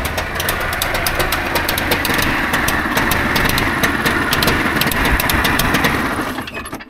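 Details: Trabant 601 two-stroke, recently bought, started without choke: rough burble with crackling ticks for about six seconds, then dies; starts but cannot hold idle, though better than before when it held no idle at all.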